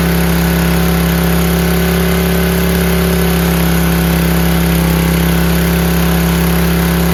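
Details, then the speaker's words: Free 5000 W PowerBack generator with a Tecumseh engine, fitted with new fuel filter, lines and an undersized 5 hp replacement carburetor, started on choke without spray: steady, even hum at constant speed with no hunting or surging. Normal running. "Guys, that ran perfect. Even though that carburetor is a 5 horsepower and underkind, didn't surge, runs great."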